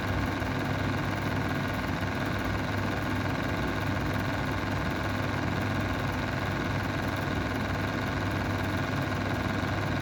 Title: Mistral square window exhaust fan bad bearings